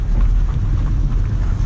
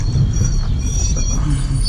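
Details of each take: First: Chevrolet Lacetti automatic after repair of a severe whistle/squeal heard when moving off: now only low, steady road and engine rumble with no squeal on the test drive; quiet normal driving. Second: Chevrolet Lacetti automatic rolling slowly after all pads and discs were replaced. A thin, steady, harsh squeal rides over the road rumble, changing with speed and only sometimes with the brake. A stone is trapped between the disc and the dust shield.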